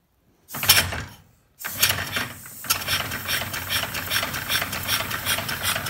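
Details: Live steam locomotive chassis on its first full air test (cylinders and valve gear done, exhaust unfinished, no lubricator yet): a couple of hesitant bursts, then a steady chuffing rhythm with light rattle; it starts and runs normally on air.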